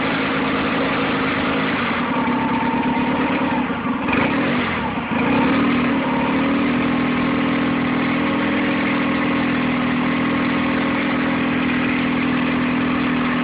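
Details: Nissan 9.8 outboard on first start, cold day, choke on, started on third pull: low, slightly uneven idle with wavering beat; rough idle idling a bit low, cause not pinned down.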